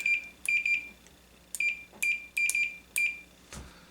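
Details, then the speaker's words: Multimeter continuity check on a Mortal Kombat 2 arcade PCB, touching the two leads together to verify the meter: short high-pitched beeps at each contact, cutting out cleanly; normal continuity beep. "Okay, we'll take our meter here and we will touch our two leads to verify that our meter is good."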